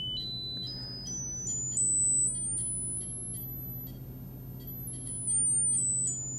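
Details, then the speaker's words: Braun Wandanlage (Dieter Rams) L 450 speaker tweeter, frequency sweep from a signal generator after a 3 kHz test: clean pure tone stepping up and back down, no buzz or rattle; tweeter fine, fault likely crossover component or loose connection in cabinet. "Yeah, that sounds like it's working just fine, which is actually good news."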